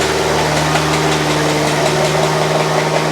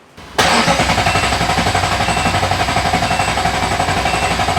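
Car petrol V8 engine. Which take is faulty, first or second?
first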